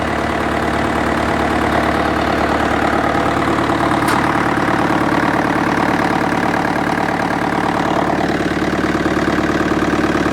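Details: International 554 diesel tractor, left out in the weather and not run for about 5 years, restarted after adding more oil: loud, steady diesel clatter at a regular idle beat, no misses or knocks; a healthy idle.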